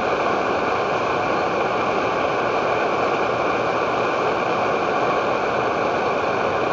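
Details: Edward Hexon backpacking stove on white gas (Coleman fuel), fed by a hand-pressed syringe in place of its pump, heating 500 ml of water: steady, even hiss-roar with no sputter or pulsing, holding constant; burning cleanly at full output.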